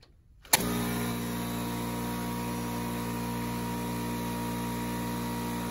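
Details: Craftsman 919.165200 5 hp oil-free air compressor, after replacing a bad capacitor and correcting 220 V wiring: motor kicks on and settles into a steady, even hum with smooth pump drone, no knocks or rattles; running normally.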